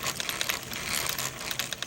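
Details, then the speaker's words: Redcat Dunerunner V3 4WD RC car after bashing, following a grinding noise heard in the drivetrain: spinning the wheel faster by hand brings fast, uneven ratcheting clicks from the rear differential, suggesting rough or damaged gears. "we'll look at the rear differential and then when I spend this a little faster you will hear what I'm talking"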